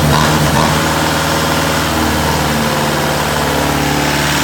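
Diesel idling unevenly, the beat stumbling and uneven rather than steady; sounds like a rough idle, cause not pinned down. Cause suspected, not confirmed.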